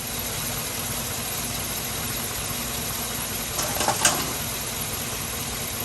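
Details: Chevy Suburban engine, hot, after radiator replacement and coolant refill: steady, even idle with no knocks, misses or squeals, and no leaks; the engine sounds healthy.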